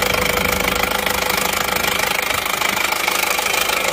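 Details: Isuzu Panther LS automatic diesel with a borrowed injection pump fitted: sharp, even rattling knock about 220 a minute over a harsh idle. One injector nozzle is damaged and leaking, still to be replaced.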